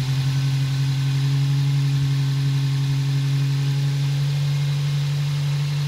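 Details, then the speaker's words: Toyota Celica GT/GTS (2000–2005) four-cylinder after replacing the timing chain tensioner O-ring for an oil leak: smooth, even idle at about 800 rpm, steady low hum, no ticking or chain rattle, running healthy. "I started it up I let it idle it idles at about 800 rpm so that's good"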